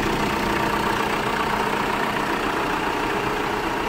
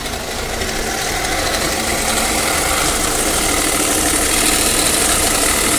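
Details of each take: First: New-version Tata Safari diesel, which had a loud growl from the front of the engine after starting. After replacing the alternator clutch pulley, it idles evenly and quietly. The alternator tests good at 13.7 V under AC and headlight load. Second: New-version Tata Safari diesel, customer complaint of loud noise from the engine after starting: loud idle with a fast metallic rattle growing over a few seconds, traced to a failed alternator overrunning clutch pulley.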